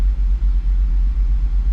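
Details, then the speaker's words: 2007 Jeep Grand Cherokee SRT-8 6.1L Hemi at idle, stock, drives poorly: a lumpy uneven idle with stumbling dips from a cylinder 1 misfire. "And I noticed when I was pulling it in that it doesn't idle very well. It just doesn't drive well."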